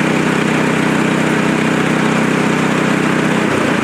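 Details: Frontier OS23 portable sawmill's petrol engine, warmed up at part throttle, after a bearing repair for a saw blade that was spinning off: steady, even drone with no knocking, rattling or grinding; running normally.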